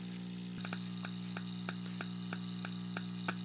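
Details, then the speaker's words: 1950 Zenith G503 portable tube radio (5G41 chassis), all filter capacitors new, filament voltage a little low: steady low mains hum from speaker with faint ticking about three times a second; cause of hum unclear. "Yeah, the hum is weird. I need to... The voltage is a little bit low on the filament right now, but why is it humming with all new filters?"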